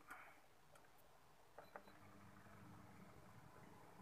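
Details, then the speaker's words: Hyundai electric fan that only hummed and would not spin, after oiling the bushing felt: switch clicks, then it spins up to a smooth, steady low hum. Normal fan operation after lubrication. "Alhamdulillah telah berfungsi dengan lancar"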